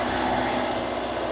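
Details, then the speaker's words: Reefer (trailer refrigeration) diesel unit idling after unloading, compartments C2 set to about 8 and C1 to 4; loud, even diesel drone with steady hum over it, no knocks or surges, normal idle. "bây giờ hãy tắt nó đi vì tôi đã tạo ra đủ tiếng ồn rồi, hãy hy vọng nó được nghe thấy vì với tiếng ồn mà nó tạo ra,"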